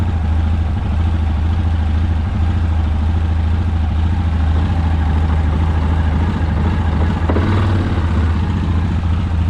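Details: Rebuilt Yamaha Rhino 700 engine, first start after reassembly, warming up before the fan kicks on: single cylinder running steady and fast, quick even thump; idle set a touch too high, needs turning down and throttle cable readjusted.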